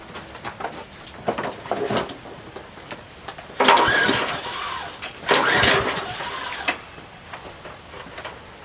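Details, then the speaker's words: Troy-Bilt 12AV566N011 walk-behind mower with automatic choke and no primer, unknown history: repeated pull-cord tugs with brief sputters that never catch, bowl overflowing, stopped when tapped; diagnosed filthy carburetor with sticking float needle valve causing hard starting. "I tapped it with a screwdriver kind of stopped I haven't squirted any other gas into it yet yeah bad take off the Harper okay diagnosis carburetors filthy the bowl since the the needle valve"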